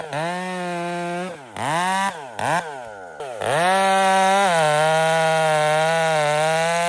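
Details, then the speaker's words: Chainsaw with new RipSaw exhaust cutting year-down Douglas fir after choke-only cold start: crisp clean revs climbing and settling evenly, strong steady pitch under throttle; healthy and responsive. "It's got my new rip saw exhaust on it that I'm trying. That sounds deadly. It works super good."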